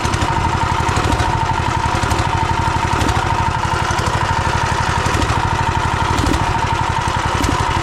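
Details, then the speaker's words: Turbocharged 420cc single-cylinder go-kart engine after being driven hard and drifted: rough idle with a steady heavy low knock on every firing pulse; suspected rod knock. "last night after the last clip I just pulling the go-kart in and parking it just cuz that thing was knocking pretty dang loud"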